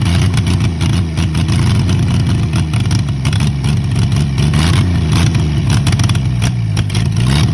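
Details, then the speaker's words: Early-1940s Chevy 216 inline-six, out of a vehicle 40+ years, run with ether assist: runs steadily and picks up with throttle blips, no knocking or missing; it started and runs. "oh that's just incredible you guys sorry I gotta admit I am absolutely speechless that that junk started"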